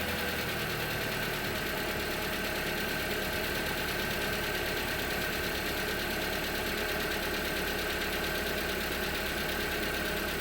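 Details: 2019 Hyundai Tucson 2.0L Nu I-4, 21K miles, full synthetic 5W-30, cold start after sitting 3+ days: busy fast light ticking over engine hum that goes away once warm; cause unknown.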